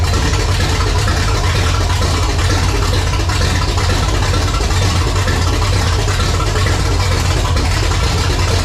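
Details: 1980 Pontiac Firebird Trans Am, newly installed replacement V8 at first fire-up with no exhaust fitted: loud, raw, even idle rumble with no knocks or misses over eight seconds; about 80 psi oil pressure, timing being set to 12, healthy.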